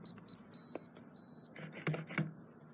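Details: FE595 keypad padlock: short high beeps as keys are pressed, then one longer tone with no bolt movement after a deleted user code is entered; the lock rejected the code.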